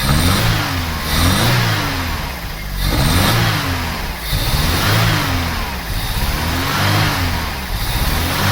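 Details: Vauxhall Cavalier GL, 1.8 litre with SRi 130 top end, 45,000 miles, new head gasket: revs unevenly with lumpy, stumbling beat during plug-lead pull test; cylinder 3 misfiring.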